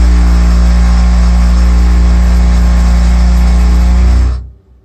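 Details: Triangle Tube Prestige Solo 110 gas boiler: loud steady low droning buzz cutting off abruptly after about four seconds; loud vibration noise.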